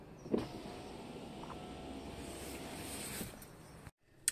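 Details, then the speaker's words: Tesla Model 3 power window after seals lubricated with silicone spray: motor hums smoothly about three and a half seconds with no squeak or rubbing, normal operation. "la regarder ça fait quand même plaisir que ça fasse pas de bruit"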